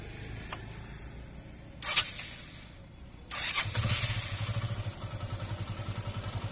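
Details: Hero Super Splendor BS4 motorcycle restarted at idle: a quick, even putter with a slightly harsh edge, described as an irritating engine noise; the cause is unclear, abnormal engine noise.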